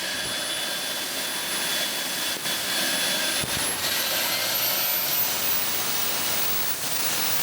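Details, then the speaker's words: Boomerang Atom RC jet turbine idling too high: the figures 162,000 RPM, 49,000 and 53 are mentioned around idle, and the idle needs adjusting down. A steady, piercing high whine over a loud rushing roar, pitch creeping upward. "what's up got 162,000 RPM that's too much too much idling right around 49,000 we're a 53 okay oh you can adjust that can't you"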